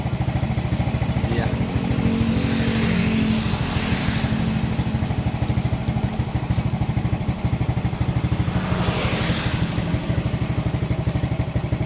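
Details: Suzuki Smash motorcycle after a regulator/rectifier (kiprok) was fitted, charging about 13.6 V: steady single-cylinder putter at a fast idle, even firing with no misses or knocks; runs cleanly.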